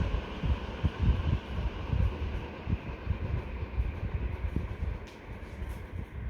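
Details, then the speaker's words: Superfan Q Series 5-foot (1500 mm) BLDC ceiling fan in its factory-set AC mode, which runs slower than eco mode; soft low whooshing in slow, even pulses with no rattle or hum, turning smoothly with nothing wrong. "actually runs much slower than the eco mode strange"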